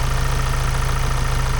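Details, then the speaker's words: Amazon Transit van's first run in about 7 months, with the bonnet open, sensors unplugged and no coolant. A low, lumpy, uneven pulsing idle with faint tapping on top; it runs rough, cause unknown. "Oh, it doesn't sound good. I mean, every sensor is not plugged in."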